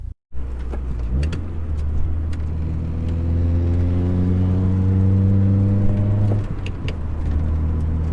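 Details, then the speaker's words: Honda Prelude on a test drive after a big rebuild, possibly low on coolant and with distributor timing still to set: petrol engine pulls smoothly through the revs and eases off, quiet and even. "So it seems like it's running pretty good, guys. It sounds pretty decent. Motor's pretty quiet, it drives pretty good."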